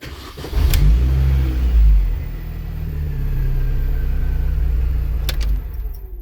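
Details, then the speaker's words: 2003 Mini Cooper S R53 on first startup after in-car rod bearing replacement: engine catches and settles into a smooth, even note; revs rise and fall cleanly with no knock or tapping. Normal revving. "sounds good we'll let that run for a while on your first startup"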